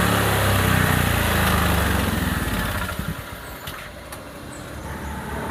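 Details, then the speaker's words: Honda Vario 125 scooter: the engine runs rough and stutters with uneven beats, and the note sags as if about to stall; a fouled spark plug is suspected. "Sepeda motor itu tersendat-sendat. Terbata-bata. Suara tersendat-sendat itu terdengar mirip dengan busi yang kotor."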